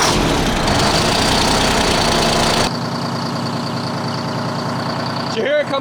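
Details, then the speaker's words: 1975 Freightliner FLT with Detroit Diesel two-stroke V12, long sitting, just restarted: loud idle smoothing into an even steady beat with some exhaust leak chuff as the dead cylinder returns; air in the new injector cleared, oil pressure 20–25. "I think it had air in it. That was That was probably the new injector and hadn't filled the body completely yet."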